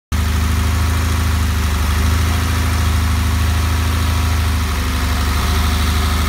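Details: 1969 Porsche 911 with a 3.6 engine at start-up: a loud low idle with an uneven, lumpy beat that stumbles now and then, like a cylinder cutting out; misfire, cause not yet found.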